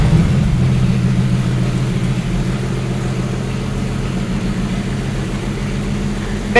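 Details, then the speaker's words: Carbureted 1954 Willys Jeep truck after valve train work and a reconnected distributor wire. Low, steady, even idle with no knocks, ticks or misses; normal, smooth idle, though it still smokes. "it does sound better that sounds really [Music] good wow that thing's idling really smooth and everything"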